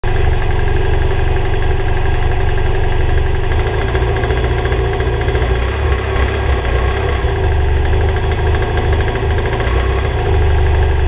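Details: BMW F800GS twin idling with a dull, uneven knock under the firing beat; owner suspected piston slap, later fixed by replacing pistons and a conrod bearing.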